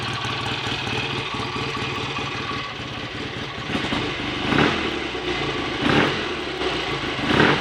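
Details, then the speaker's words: Freshly rebuilt BSA A65 Lightning twin with a replacement crank, ignition timing not yet checked: steady, even idle with a few brief throttle blips toward the end, no knocking or rattles, no smoke; better than before the rebuild; normal idle. "sounds a bit better than it did last time I heard it ringing anyway [Music] hopefully this time the bike will actually be as good as it looks"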